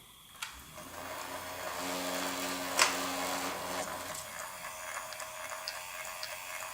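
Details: Fisher-Price Cradle'n'Swing swing motor tested with the mobile tensioner disconnected during the startup grinding fix: small motor hums smoothly and evenly, vibrating slightly on the frame but with no grinding inside the assembly; normal motor run.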